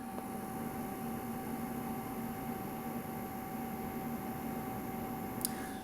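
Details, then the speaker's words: Hartke KB12 bass amp, internal cooling fan kicking in after 10-15 minutes on, phone mic near the amp: constant airy hiss with a faint steady whine, no rhythm; fan noise loud enough to spoil mic recording. "so there is the fun and the fun is working after 10-15 minutes being on so huge"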